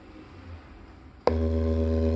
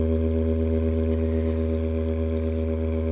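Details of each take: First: JBL Charge 2 Plus, driver tested outside the unit: a steady low test tone holds even and pure with no crackle or scratch, so this driver is healthy, unlike the other crackling driver; the two are to be swapped to isolate amplifier channel versus speaker. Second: JBL Charge 2 Plus Bluetooth speaker playing a low test tone, rough and buzzy with a gritty, scratchy crackle from the first speaker driver; driver suspected damaged, to be swapped to rule out the amplifier channel.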